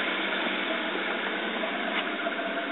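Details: Toyota 2JZ-GTE idling: slightly uneven, lumpy beat under the exhaust drone, running rich; rough idle from overfueling, later fixed by servicing/flow-matching injectors, replacing the O2 sensor and bad spark plugs.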